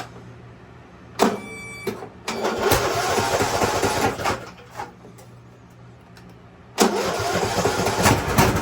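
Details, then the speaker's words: Craftsman YT3000 riding mower with donor replacement engine and carb, first start on jumper pack with no battery: cranks, catches and settles into an even small-engine idle, then another clean catch-and-run; normal start and idle. "Smooth. Well, so far I would call that a win."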